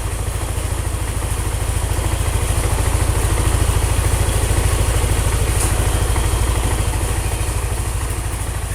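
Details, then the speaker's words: Single-cylinder motorcycle at idle after draining oil mixed with Prima XP, cooking oil, Shaeffer Moly EP and nano energizer and refilling with Total Hi-Perf 20W50: steady, even idle thump with no clatter, now smoother. "yang ini suara mesinnya udah lebih halus ini 1123 guys"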